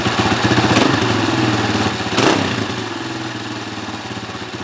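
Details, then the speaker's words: 2003 Honda CRF230F after carburetor rebuild, idle screw adjusted, choke off, not yet warmed up: fast single-cylinder idle about four pulses a second, slightly uneven and slow to settle; hanging idle, mixture still slightly lean. "has a little bit of a hangy idle, which means it's still a little bit lean, but we'll let it warm up."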